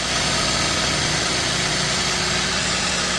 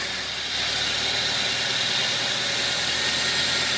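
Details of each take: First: 2012 Toyota Avanza that overheated and stalled on the toll road from a poor cooling system; on its first start test after turning over without seizing, it gives a steady, loud hiss-heavy idle with an even low rumble, no misses or knocks, damage not evident. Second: 2012 Toyota Avanza after overheating on the highway, engine disassembly, reassembly and coolant refill: smooth, steady idle with an even fan hiss on top and no sputter or gurgle; engine running healthy after repair.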